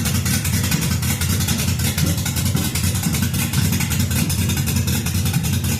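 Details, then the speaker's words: LS-swapped 1966 Ford F100 on 2008 Crown Victoria chassis, after replacing two failing coil packs and adding O2 and MAF sensors: choppy loping idle with regular low thumps and no backfires; normal cammed idle. "So, I got those swapped and was able to hear it sit and idle and chop. Sit and idle and chop for the first time with no backfires."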